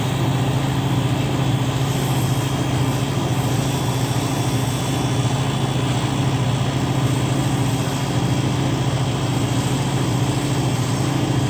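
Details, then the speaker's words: Newly installed compressor in a reach-in freezer starting during charging (22 oz, added slowly to low side): smooth, constant low hum, steady tone, no knocks, rattles or surging; pressure drops fast, pumping down well, healthy. "You'll see that the pressure's drop really fast as soon as it starts, which it does. It's pumping down very quickly."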